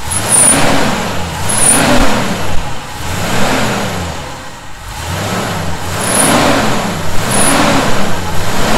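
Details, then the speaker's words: 1971 Chevy C10 pickup revved up and down repeatedly, a thin high whistle rising with each rev on top of the exhaust; sounds like a vacuum leak. "i don't hear it was a definite whistling noise"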